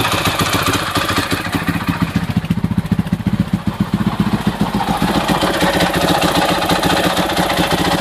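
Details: 2006 Husaberg FE650 idling after Taffy's dual valve spring kit and a new 70-link cam chain and tensioner. Big single with a loud fast mechanical clatter over each firing pulse; cause not pinned down. Noisy engine at idle.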